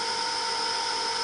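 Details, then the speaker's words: Eagle surface grinder motor running with the stiff spindle dismantled: a steady, even high whine with no roughness or rubbing. It runs down slowly when switched off, showing no drag, so the motor is good. "if i hit it to turn it off that motor just runs down so slowly which says it's not dragging and there's no drag in there so i'm happy the motor is good"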